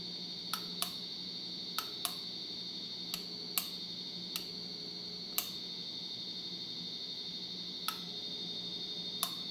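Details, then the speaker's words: 1989 Casablanca Venus 52" ceiling fan, suspected faulty board, running high then reversing: faint irregular sharp ticks about once a second over a steady high hum; intermittent electrical tick, source unclear. "okay okay so we got high speed and some really weird noises now we're reversing okay i don't know what's going on with that noise it's really annoying though"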